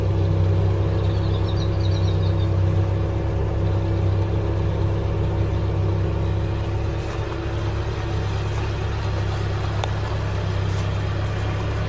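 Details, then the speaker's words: Classic car, heard from passenger side: steady low rumble with even tones, no knocks or misses, no smoke; smooth, healthy idle. "so what do you think let's go passenger side it sounds nice doesn't it"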